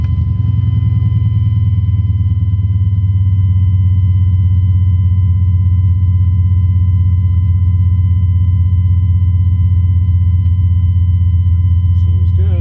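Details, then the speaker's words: 1999 Chevrolet 2500 pickup with an LQ4 turbo swap, after installing a new Quantum 044-style fuel pump: a deep, even V8 idle with no lope, ticks or knocks, at a reasonable AFR. "yeah idling at the reasonable AFR so things are all good thanks again quantum"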